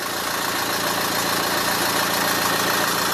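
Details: Dacia Duster 2017 diesel after a service with new air, oil and diesel filters, started after the fuel circuit was primed and air purged: steady, even idle clatter with no knocks or misses, running normally and leak-free.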